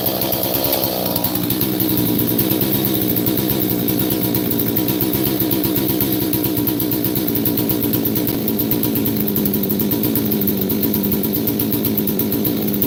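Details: Chainsaw, similar to an 038 Mag, with choke built into the air filter; steady, even two-stroke buzz holding one pitch with no misses, stumbles or surging; running healthy.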